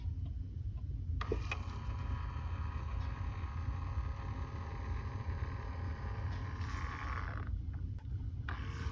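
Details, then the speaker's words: Rear HVAC blend door actuator on a 2008-2014 GM Lambda SUV (Acadia/Enclave/Traverse), cycling the temperature switch: quiet electric whir runs smoothly about six seconds then stops, no clicking; sound of a working actuator. "I'll show you another way to quickly diagnose by cycling the switch and listening for a sound coming from the blend door actuator. This is what it sounds like when you change one of the blend door actuators."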